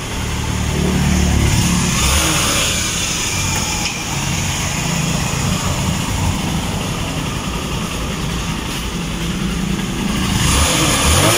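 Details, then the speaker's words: TMX Supremo 150 with hard starting from water in the gasoline, after a carburetor cleaning; it used to die on throttle even when warm. Cold engine: a steady thumping idle of about four beats a second, with throttle blips that rise and settle cleanly, running healthy. "napakaganda na ng tono ng motor katulad nung unang dala dito talagang namamatay agag mo yung silinyador kahit mainit yung makina Pero ito malamig na yung makina pero pagkabuhay Ayan goods na"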